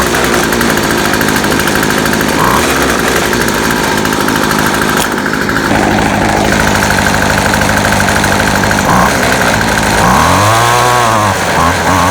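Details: Featherlite Extreme FX 265 trimmer, 25cc two-stroke, bought used, just after carburetor reassembly: high revs surging and wavering unevenly; rough running, owner suspects carburetor adjustment or metering diaphragm needing replacement.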